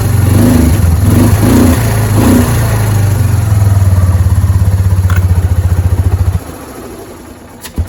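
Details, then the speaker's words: Kawasaki Prairie 300 after exhaust repair: single-cylinder thumping evenly with blips, then dying; much quieter than before, no hiss at the exhaust, good seal. "So sounds good. It's not extremely loud like it was."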